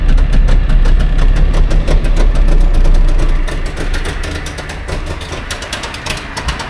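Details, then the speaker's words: Trabant 601 two-stroke, recently bought, started without choke: loud, uneven chugging idle that steadily fades and dies; held idle only halfway, though better than before when it held none. "Okay. Schon mal angesprungen, hat auch halbwegs Standgas gehalten. Ist natürlich jetzt wieder ausgegangen."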